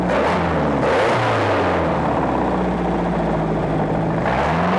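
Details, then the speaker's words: 1995 Volvo Penta 3.0GS petrol inboard, compression 145 on all cylinders, new cap and rotor, power steering belt cut so no belts turn: steady low drone with throttle blips, runs evenly with no knocks or misses; may need a carb cleaning. "good running motor probably needs a good carb cleaning um other than that I think it's a drop in motor good to go"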